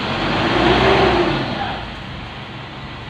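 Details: Isuzu Alterra diesel after fixing a no-start caused by a small part (immobilizer-related): revs up briefly, then settles back smoothly with no stumbling or knocking. The engine now starts and runs normally.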